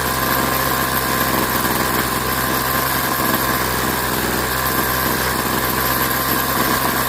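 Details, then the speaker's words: Craftsman 21cc Bushwacker two-stroke hedge trimmer after sitting nearly a year, blade disengaged: steady buzzy idle with no surging, stumbling or cutting out; running solid and healthy, carb settings left alone. "And in this case, it's actually running solid. I mean, it's running really well."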